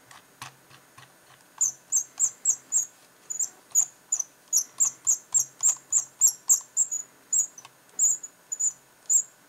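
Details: Razer Mamba mouse: sharp, high cricket-like chirping squeaks, about three or four per second, as the scroll wheel turns: squeaking mouse scroll wheel.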